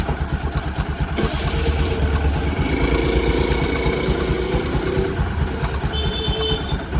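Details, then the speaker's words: Bajaj Pulsar NS200 BS4 single-cylinder at idle after a Manali ride: loud, fast "kit kit" ticking from the top end, first taken for timing chain noise, caused by a worn camshaft that was replaced. "Timing चैन की आवाज आ रही है। काफी तेज kit kit किटकिट की।"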